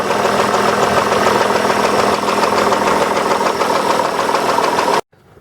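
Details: 2003 Hyundai Sonata 2.7 V6 (G6BA), revved: a half-dull, half-ringing tapping knock at three to four per second, loudest near the right cylinder head and present at all rpm. The engine sometimes starts poorly; a hydraulic cam-chain tensioner is suspected, not confirmed.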